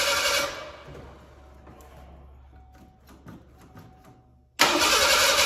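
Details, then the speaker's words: 1987 Ford Bronco II, abandoned 15 years, after swapping a module: steady starter cranking in short bursts with no catch or firing. Still a no-spark no-start. "Okay, well, at least we know one thing it isn't. So I'm still not getting, I gotta check for spark here again and go from there."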